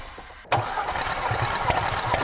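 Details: 2018 Porsche Macan 2.0 petrol, 95,000 km, cylinders 3 and 4 misfiring, plugs fuel-wet, coils suspected: compression test cranking, a steady, even starter whir; compression normal on all four cylinders.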